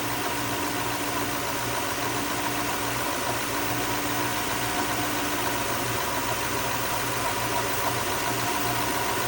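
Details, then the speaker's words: Lexus LS430 V8 at warm idle, idle dropping toward about 800 rpm, known exhaust leaks awaiting new gaskets: odd hiss with faint uneven ticking over the engine hum; cause unclear, owner wonders about expansion, oil or low idle. "Is that expansion of something? Is it is it uh the oil is becoming more viscous? Is it because the idle is down lower that's causing that?"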